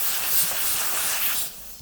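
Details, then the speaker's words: Air-fork or tyre Schrader valve while screwing on a threaded floor-pump hose with no pressure release: sharp steady hiss for about 1.5 s that cuts off, as the valve opens before the hose seals, about three turns; air leak at the Schrader valve. "ми при накручуванні чуємо як"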